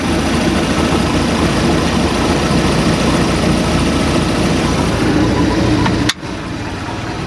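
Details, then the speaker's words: 1989 boat with 3.7 L MerCruiser, on water muffs: engine holds a loud, steady, even idle and shifts into gear without stalling; normal idle in gear. "got a good idle let's see if it goes into gear without killing out yep shifted"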